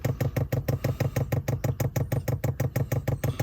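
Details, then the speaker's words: Chinese diesel air heater in a quiet install, running after fuel is primed through the line. Its dosing pump pulses steadily about three times a second, even and regular, and is barely audible once covered. Running properly. "so it's on i think it gets a bit quieter remember we're doing a quiet install here"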